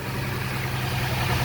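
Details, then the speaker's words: 2003 GMC Envoy at idle: uneven, stumbling rough idle from a random misfire; on the highway the check engine light flashed; traced to a bad cylinder where the spark plug was popping. "so the vehicle when i bought it yesterday it wasn't running that smooth and when you drove it on the highway the check engine light would come on and flash and you can just tell it was running rough"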